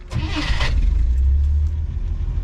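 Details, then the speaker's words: 1963 AMC Rambler 330 wagon straight six with new battery, new starter and electric fuel pump: short crank, fires right up and settles into a steady, deep, even run, a clean healthy start. "you guys can see she fires right up"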